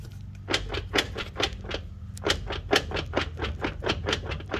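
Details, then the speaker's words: 2015 Chevrolet Silverado driving above about 30 mph: quick uneven knocking around two per second over road drone, speeding up and slowing with speed like a U-joint; U-joints already replaced without change; owner suspects transfer case chain. "sounds sloppy to me sounds like the chains or something in there is going bad"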